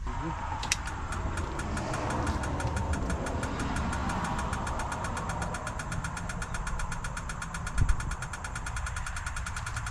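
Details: International VT365 diesel bus engine, crank no start after cleaning battery and starter grounds: steady fast ticking over cranking with faint knock near the end, source unclear; owner suspects ticking is hydraulic brakes.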